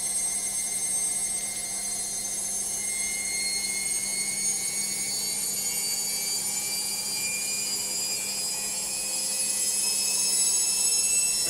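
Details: Logik washing machine on final spin: high whining tones climbing steadily in pitch as the drum speeds up, a loud noisy spin.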